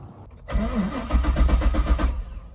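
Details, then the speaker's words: 2002 Chevy C5 Corvette Z06, 405 HP LS6 V8, sat over a year and a half; after new battery, fresh 93 fuel and Mobil 1 5W-30 oil change, cycling engine to get oil in cylinders: steady even cranking, regular compression pulses, no firing; normal. "All right, we're just going to cycle the engine right now, get oil in the cylinders. We're going to do it about four or five more times, and then we'll go ahead and start it."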